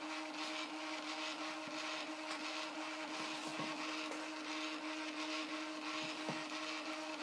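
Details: Prusa i3 MK2 3D printer during XYZ calibration, head probing the four calibration points with A4 paper under the nozzle: steady mid-pitched stepper hum with light ticks, smooth even stepping, no grinding or skipping; normal stepper operation.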